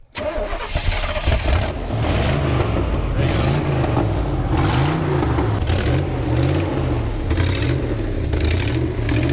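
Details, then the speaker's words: 1976 Chevy C30 dually V8, long-sitting, running on old gas sucked up: engine catches and surges unevenly under repeated throttle, stumbling and sputtering; rough running, owner thinks it needs a tune-up, cause unconfirmed. "In my professional opinion, I think it needs a tuneup."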